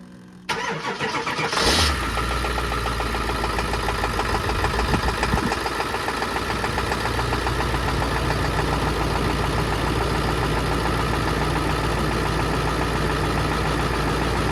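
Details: 2003 Ford F-250 7.3 turbo diesel Powerstroke, about 383,000 miles, first start after sitting a year and a half. Short crank, it catches fast and holds a steady diesel idle, running smooth with no misses. Normal diesel idle.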